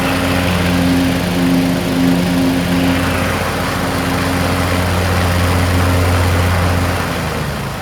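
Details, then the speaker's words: Craftsman T1600 (MTD-built) lawn tractor, 46" deck, Briggs 19hp, after replacing a blown cylinder head and head gasket, mowing: even engine drone holds speed under load with no stumbling, knocking or surging. Normal running under load. "ran fantastic I didn't go around the block I figured I'd just go right into mowing my lawn mowed it perfectly"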